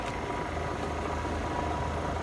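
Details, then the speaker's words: Vintage 1955–58 Westinghouse casement air conditioner, casing removed, nearly 70 years old, powered on for a compressor test. Steady low hum with a faint constant tone and no knocks or rattles. Compressor runs smoothly and cools despite completely dirty coils. "oh my gosh it's working Wow actually working the Sur conditioner is nearly 70 years old"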